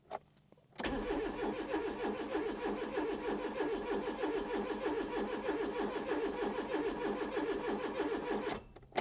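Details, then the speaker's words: 1996 Fiat Cinquecento Sporting, 26,000 miles, abandoned seven years, with 5 L of fresh fuel added: steady starter cranking at about three turns a second, never catches. No fuel pump is heard, so fuel isn't getting through; a gummed-up fuel pump is suspected. "that's just not getting fuel through. That meant it had to be a problem with our fuel system rather than the substance itself."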